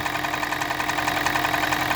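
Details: Toyota Prius (20 series), 1NZ-FXE engine, which also burns oil: steady idle with a fast, sharp metallic tapping a few times a second, possibly from the valve cover area; engine knock, cause unknown.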